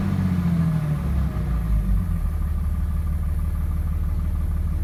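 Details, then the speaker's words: 2006 Cummins diesel with rough idle that began suddenly: idle lopes unevenly at about three beats a second with an irregular stumble, not a lope tune; owner suspects a bad injector, unconfirmed. "So I think I have a bad injector. That is not a lope tune."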